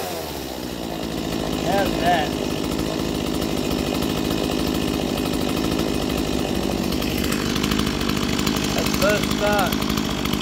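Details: Stihl MS170 chainsaw, roadside find, first start in years: buzzy two-stroke runs continuously and picks up cleanly on two quick throttle blips, no misfire or bogging.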